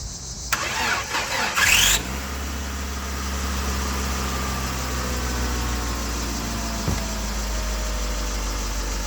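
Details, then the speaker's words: 2001 Ford Escort ZX2, first start in months or years, low on fuel with a partial gallon: short cranking, then the engine catches and settles into a smooth, steady idle with no misses or knocks. Normal start and idle. "That is a running engine. And she seems to be running fine, too. Oh, yeah. This is probably the first time it's run in years, at least months."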